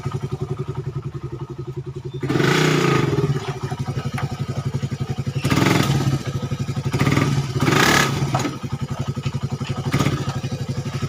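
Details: Suzuki Satria FU 150 cc after the cam-chain top timing wrongly fitted by another workshop was corrected, which had caused rough idle and weakness. Now an even, steady idle thump with clean, smooth rev blips that drop back without stumbling. Healthy.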